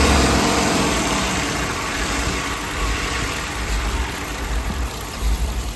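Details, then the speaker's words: Ford 7.3L Godzilla swapped in after failed lifters, idling after codes were cleared and an unplugged air filter sensor was reconnected: steady, smooth low rumble with no stumbling or choking anymore; normal idle. "But now you can see it runs a little bit different. All it was that air filter sensor unplugged."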